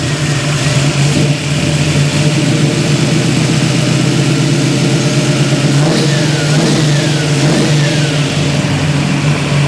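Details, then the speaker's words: 1971 Chevy Nova V8, long stored, now with exhaust and mufflers, after timing set, idling about 900 rpm: strong even rumble climbing cleanly on throttle and dropping back without stumbling; normal revving. "Sounds happier. We're having a little 750, nope, 900. What does it sound like? Sounds pretty good."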